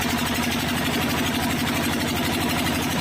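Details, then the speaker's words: 12 hp diesel engine after ring and block rework for a load problem; steady even chug about three beats a second with no knock or miss, running normally. "तो जैसे दोस्तों आवाज़ कैसे बिल्कुल बढ़िया ए रही है"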